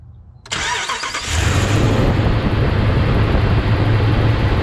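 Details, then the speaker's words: 2012 Ram 1500 Hemi after fitting an external fuel pump relay to replace the failed relay inside the TIPM: a faint hum as the pump primes and builds rail pressure, cycled about three times, then the engine catches cleanly and settles into a steady, even idle. "right before I started it we keep cycled it about three times there and you can hear it build pressure in the fuel rail and then stop and that's what we're looking for"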